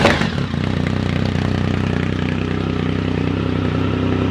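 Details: 2010 Triumph Speed Triple SE with new untuned Competition Werkes exhaust, SAI block-offs not installed: uneven crackles and pops over a falling engine note as the throttle closes; exhaust popping on overrun, cause suspected, not confirmed.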